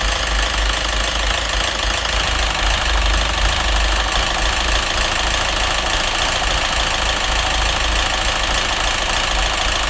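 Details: Citroen DS3 1.6 petrol with hunting idle and diesel-like clatter, codes for rich mixture, O2 sensor and cam phasing; the engine had run without oil. Loud uneven metallic knock around three a second at idle, unchanged after a part swap; head or crankshaft suspected.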